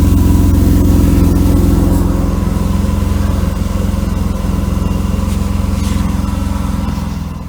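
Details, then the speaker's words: 1992 Mercedes W124 300E, low on fuel, at idle. Raspy, lawnmower-like puffing, about three pulses a second, from a holed exhaust pipe section; the muffler and resonator are okay. Exhaust leak; needs a new pipe section. "Needs a new exhaust pipe. Yeah, it needs a new section from up here down about right there."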